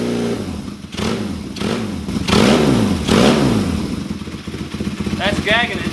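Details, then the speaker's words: Kawasaki KZ400 on the bench with Mikuni VM30 carbs and 210 main jets: revs snap up then fall back, engine gags and nearly dies returning to idle; rich stumble from an oversized idle jet. "so it's it's definitely richer see how it wants to die like that if you rev it up and let it"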